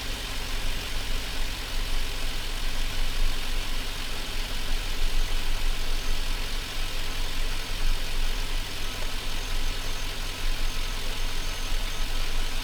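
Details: Chevrolet Silverado V8 idling on its own during warm-up after the mass air flow sensor was reconnected and the radiator installed: a smooth, steady low rumble with an even beat and no knocks or misses. Normal idle.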